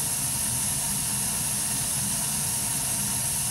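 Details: Burnham ES2 gas boiler running, flame sensor current 13–16 µA: steady, even burner roar with smooth airy rush, no popping or rumble; flame clean and stable.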